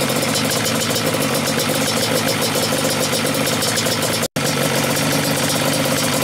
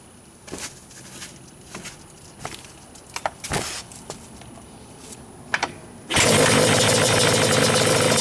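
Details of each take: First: Yamaha Banshee two-stroke twin, stock carbs synced, both air screws closed all the way in. Uneven, burbling idle beat lacking crispness: very rich idle mixture. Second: Yamaha Banshee two-stroke twin with stock carbs, kick-started with the idle screws at a halfway baseline turns in from contact. A few kicks and clatters, then it fires and settles into a busy, even idle with no stumbling: normal idle.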